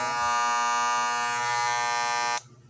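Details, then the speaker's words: Hair clipper about 7 years old, running: loud harsh buzz with a rattling blade loose on its mount, before repair. "itong racer ko po na ito ay Napakatagal na po saakin ito mga nasa 7 years na po siya ayan po sobrang ingay"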